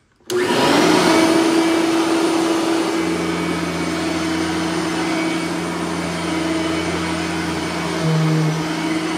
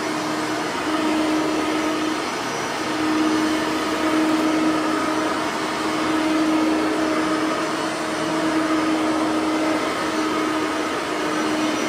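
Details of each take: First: Bissell 3510-9 (9 amp) upright vacuum on high setting in hallway, brush roller bearings freshly greased; steady even motor roar, no surging or rattles; normal operation. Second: Bissell 3510-9 (9 amp) upright vacuum, bearings freshly greased, set to low on lower carpet; steady high whine with slow laboring waver as the head drags, motor sounding a little strained on the low setting.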